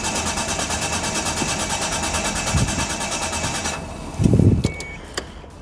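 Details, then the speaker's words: 1995 Mitsubishi FTO GR, not started in 10 years, ignition barrel refitted: starter churns the engine at a steady even pulse for several seconds but it never catches; owner suspects the 10-year-old fuel is bad or low. "starting yet. But we got the car cranking. That's the main thing. I'm thinking that the fuel could be no good."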